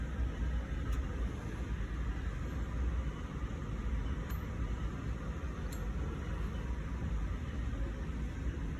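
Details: Harbor Freight 9x20 lathe running: steady even rumble with a few sharp ticks every couple of seconds. A worn drive belt was the cause; a new belt restored normal noises.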